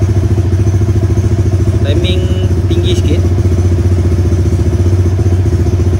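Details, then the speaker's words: Motorcycle with 57Dome spec engine, after ECU remap base and TPS calibration, first start to check timing: steady, even single-cylinder idle with a firm low thump, no knocks or misses; started first time, healthy. "Okay, so pertama kita start dulu. Kita tengok okey ke tak timing dia. Sekali start je okay, tak ada masalah."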